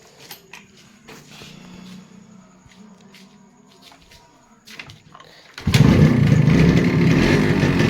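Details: 1986 Japanese Yamaha RX100 two-stroke with original block and silencer, fast idle: dry rattling clatter over the exhaust beat; connecting rod fine but piston loose in the bore, piston slap, piston replacement and reboring planned.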